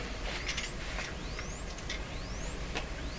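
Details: 1929 Templetone radio speaker after replacing four questionable capacitors, supply current limited, microphone close to the speaker: faint whistling tone sweeping upward about once a second over steady hiss, reproduced cleanly; speaker working normally.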